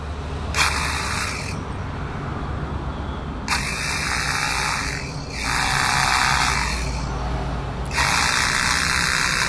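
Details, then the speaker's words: 20mm hammer drill after repair (gear and O-ring replaced, greased, oiled, bit fitted), test run: strong, rapid, even hammering rattle in bursts as the trigger is squeezed; pressure now much better than before, normal hammer action. "तो ये देख सकते हो कि अभी जो pressure है वो पहले से एकदम अच्छा हो गया है।"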